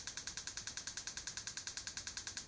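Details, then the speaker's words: BMW K1200S running on three cylinders (cylinder 3 not firing), engine off, injector cycled via OBDLink LX and Moto Scan app: crisp even clicking about nine a second; injector actuates normally, owner suspects plug or coil. "I don't know if you can hear it, but you can hear the tapping of the fuel injector as it's actuating, and off again."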